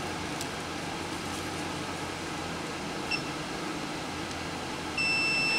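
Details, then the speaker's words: Yamaha Banshee no-spark diagnosis, multimeter continuity test of the harness grounds at the coil and stator: quiet room hum, then one steady high beep lasting under a second; continuity confirmed, so the ground circuit is good. "there we go so all the grounds are working everything's connected like it should be"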